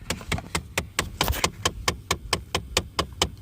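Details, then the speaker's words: Steady sharp tapping from the dash of a 2013 Dodge Charger SE 3.6 V6, about four to five clicks a second: the right-side blend door actuator is stuck and not moving. "right there. That actuator on the right side is not moving that on the left side. It's stuck."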